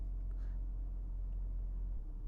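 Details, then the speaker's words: BMW E46 at idle after cleaning the MAF and idle air control valve and replacing a broken PCV breather hose (a vacuum leak): low, even idle holding steady without hunting. It previously sat near 1000 rpm; now normal idle. "Oh, it's finally at a normal idle. Usually it was sitting closer to like the 1000."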